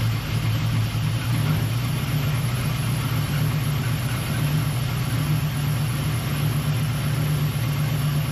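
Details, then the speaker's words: V8 with Holley EFI Terminator X or Sniper throttle body injection, after securing loose injector plugs: starts and settles into a steady, even idle with deep rumble and a faint hiss, normal until warm, possibly IAC; runs smooth. "Now you might be able to hear it hissing normal on the throttle body systems when they first fire up, that goes away after it's warm."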